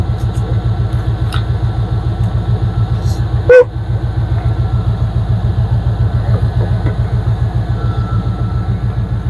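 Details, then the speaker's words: Engine after head gasket replacement with new plugs and thermostat, running on open headers without mufflers: deep, even, loud beat with no misses or knocking, purring: normal idle. "listen to that thing purr"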